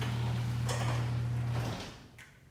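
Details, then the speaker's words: Garage door opener running after the rollers and metal-on-metal friction points were lubricated with white lithium grease: a steady, even motor hum with no squeal or scraping, fixing the earlier squeaking. "All right, well that pretty much took care of it. $6.99 at Harbor Freight. Liquid wrench, white lithium grease. That's all it took, just lubricating the points where metal on metal friction."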